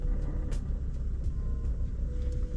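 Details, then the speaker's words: Used BMW M135i at idle: deep idle with irregular metallic ticks, a horrible rattle; it goes away when put in gear and returns when released, source unknown. "yeah yeah one of them there is a horrible rattle there turn it off again what is that"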